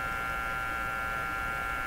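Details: Crosley G2465 two-band radio, at full volume during paper capacitor replacement; steady unchanging hum with buzzy overtones; owner suspects unshielded audio circuits: mains hum.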